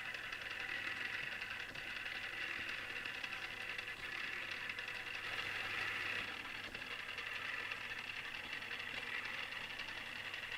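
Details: Newly assembled Tamiya Display Turntable Black on its first test spin. A thin, steady high-pitched gear whir with a faint rough edge; the gearbox is noisy but not failing. Owner dislikes the noise and may fix it later.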